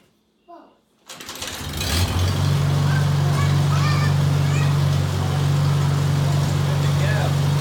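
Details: 1949 Farmall Cub, original engine, with engine-restore additive added to the oil: a short crank, then it catches cleanly and settles into a steady, even low idle with no misses or knocks. Healthy start.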